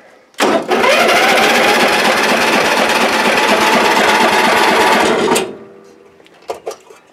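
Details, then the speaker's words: Old Ariens, unused for a couple of years, on choke with its dead battery jumped. The starter spins the engine at a steady, fairly quick rhythm but it never fires: cranks, no start. Carb spray was tried afterward without success. "well it'll crank so i'm going to go ahead and pull the filter off and we'll just give her a couple little sprays and see if it'll pop"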